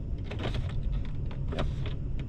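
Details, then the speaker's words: 2001 Toyota Tundra at idle with AC on; a few light, irregular clicks as the HVAC blend door actuator moves while the temperature is changed, working normally. "Hear that guy clicking around. So, it's blending."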